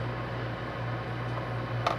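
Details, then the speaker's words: Bosch 403-litre refrigerator after defrosting ice that was striking the fan: quiet, steady low hum with no scraping or rattling; the fan spins freely and normally. "pronto vamos ligar pra gente fazer um teste e ainda vai continuar fazendo a zoada ó aventura girando normalmente"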